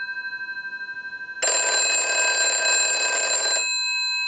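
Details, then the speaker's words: British desk telephone after repair and conversion, final checkout with the transmitter installed (about 4 damping filters in the cup): a steady tone, then a loud, bright, even ring for about two seconds that stops cleanly. Normal, unique-sounding ring. "It's got a very cool ring to it. We'll let that go a few times. Very unique."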